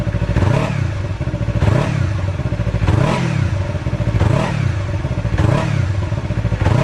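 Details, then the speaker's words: 2019 Yamaha R3 twin on its stock muffler before the straight-pipe install: smooth, even hum with repeated clean throttle blips about every second; normal start and revving, healthy engine and exhaust. "Alright, so here we go. We'll start it. This is with the stock muffler with the Akrapovic or Akrapovic pipe."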